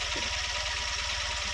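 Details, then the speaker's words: 2012 Tata Nano petrol at idle with check-engine light on: lumpy, stumbling low thump with pulses dropping out unevenly; scanner indicates random/multiple cylinder misfire. "Tata nano 2012 का model है उसमें check light और miss fire का problem आ रहे हैं"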